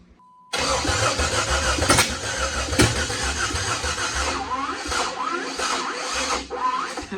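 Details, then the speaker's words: Jeep Wrangler with a donor Cherokee engine swapped in after sitting for years, on eight-year-old fuel: the starter grinds in repeated uneven bursts but it never fires; crank no start, another battery needed, cause unconfirmed. "we're gonna need another battery"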